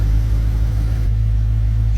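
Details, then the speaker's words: 2016 Dodge Charger with new headers, finished build: deep steady engine rumble, even unbroken beat, no knocks or ticks; running smoothly. "seems to be running pretty dang good I will give it that she sounds very good"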